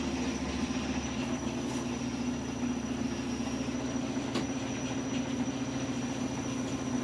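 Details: Washing machine running with a steady hum and a thin, constant high-pitched whistle above it; owner asks if it is normal and suspects a belt, cause unconfirmed.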